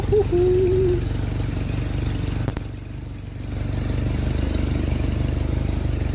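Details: Carburetted Jeep started after its fuel pump and carburettor were rebuilt: holds a steady low idle with an even pulse, dips briefly, then recovers and runs smoothly.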